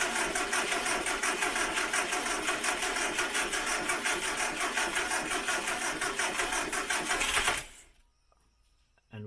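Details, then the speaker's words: 1968 Morris Minor 1000, first cold startup of 2023 after sitting, cranked with choke via mouse-chewed switch: starter churns at about three turns a second, engine never catches; both batteries low, slow cranking, no start. "so apparently both that battery and that battery seems a bit low let's just give it a second maybe a little bit more joke"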